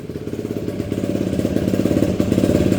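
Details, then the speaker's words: Yamaha YFZ 450 ATV after fixing a no-spark shut-off, started on a jump box: crisp, even single-cylinder thump at about fourteen beats a second, holding steady without misses; healthy idle after repair. "Oh yeah. Sounds so good. I miss this thing."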